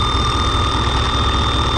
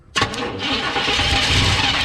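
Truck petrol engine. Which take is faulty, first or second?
second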